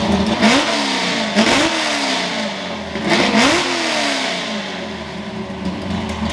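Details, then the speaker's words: Ford F100 V8 after tune fix (plugs had run dark) and new spark plugs: loud lumpy revs rise and fall cleanly, no misfire pops or knock; runs strong, tune significantly better. "all right well this thing is absolutely Rowdy as you can see and uh the tune's a lot better like significantly better I can tell the drivability is going to be better"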